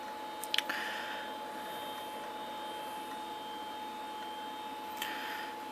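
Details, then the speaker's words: SyQuest SparQ external cartridge drive spinning and seeking while retrieving installer files during Windows setup: quiet steady high whine with a few light clicks; normal running. "it's going to the external drive which is humming away as first breaths of life to retrieve the actual installer files I bet listen to this thing sounds like an old Max"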